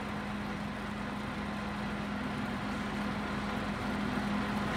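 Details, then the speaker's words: TOS FO-6 mechanical gear hobbing machine (6 module, 600 mm): downward rapid motorized travel of the hobbing head; steady one-pitch motor hum with no knocks, grinding or catches. Normal rapid traverse. "ठीक है, नीचे की तरफ rapid. Downward rapid travel of the hobbing head."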